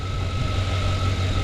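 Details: 2007 Chevy Suburban with stalling and extended crank complaint, in cold weather, after plugging in the unplugged MAP sensor and clearing codes: smooth steady idle with faint constant whine, no stumble; something in the harness area was shorting.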